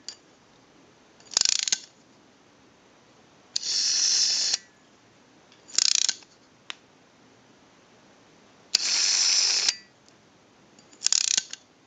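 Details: AE candlestick telephone rotary dial with the governor installed and contacts not yet fitted: five crisp bursts of fast, high-pitched ratcheting with quiet gaps. The ratchet and governor work properly; no ratchet sound would mean a missing or misinstalled key or a bad spring.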